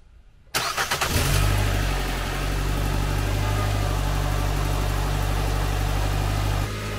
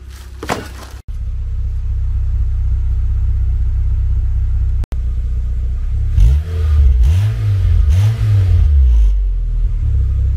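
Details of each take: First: Nissan Sentra rebuild, tune-up done: after crank it settles into a steady fast idle with a light rapid tick underneath. Suspected slight exhaust leak at a spring-held flange donut gasket. Ticking at cold start. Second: Nissan Sentra, 190,000 miles, after a tune-up: steady low idle then several clean rev rises and falls without misfire, sounding much better than when bought; a slight tick-like noise from underneath the car is noted at startup.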